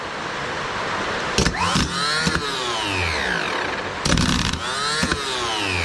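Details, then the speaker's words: Starter from a 1984 Nissan Diesel CKA50BT tractor truck (RD8 V8 diesel, 14.3 L), on the bench at 24 V after seized brushes were cleaned and the armature and reduction gear serviced: short whirring bursts winding up and coasting down, smooth; spins freely, normal. "so it's sing good is is spinning"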